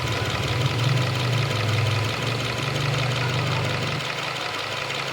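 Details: Subaru XV Crosstrek FB20 engine idling with an uneven low throb that wavers and dips; abnormal engine noise of unclear source.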